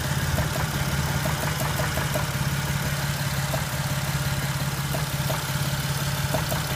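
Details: Jeep with no warning lights: rough, uneven idle with a light knock about three times a second over the engine hum; cause not yet pinned down. Engine knock with rough idle.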